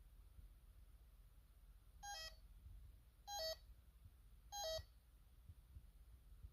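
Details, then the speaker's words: Bosch D7212 GV2 alarm panel keypad with a simulated shorted smoke detector: three short two-note beep bursts about a second apart, the fire trouble tone, temporarily cleared with command 4 until the fault is fixed. "And let's say another thing about this panel is two is that if there's something wrong, it puts off a very distinct tone."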